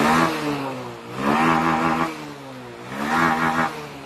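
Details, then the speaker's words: Carbureted Honda Beat scooter that clicked on starter but wouldn't start, original part refitted: three clean throttle blips, revs rise smoothly and return to idle without stumbling; normal revving. "Ini saya gas betot, ya. Saya gas betot. Bagaimana?"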